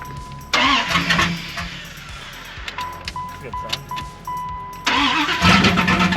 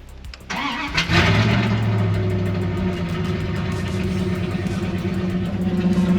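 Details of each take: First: 1995 Dodge Ram 1500 5.2 after a new battery and fuel lines, cranking: three bursts that catch briefly and fade each time; fuel rail pressure reads zero. Cause later found to be broken, corroded ground wires near the fuel pump. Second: 1995 Dodge Ram 1500 5.2 that started then died with near-zero fuel pressure, fixed by repairing broken/corroded ground wires near fuel pump (pump also replaced): short crank, clean catch, steady even idle; normal start after repair.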